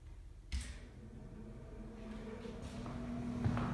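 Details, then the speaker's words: Reznor UDAP45 direct-vent gas heater before the igniter rod fix, which intermittently failed to light despite spark and gas: draft blower starts quietly and climbs smoothly to a steady hum; normal inducer start-up. "so that's the blower fan going on you can hear it Sparks will start coming any second gas is on"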